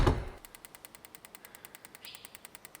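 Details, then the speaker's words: Turbocharged BMW M50/M52 on Megasquirt with AEM coils, troubleshooting serious misfires: engine not running, a coil pair fires in injector test mode with a set dwell time. Crisp, even snapping, about eight or nine a second. "Niin täällä on täällä Mekassa tämmönen Injector Test Mode ja pistetään tuota vaikka, että 1,5 ja A ja tuossa on Well Time ja käynnistetään, että starttia, niin sieltä se rupeaa tässä pari tulupaa ruveta naksuttamaan."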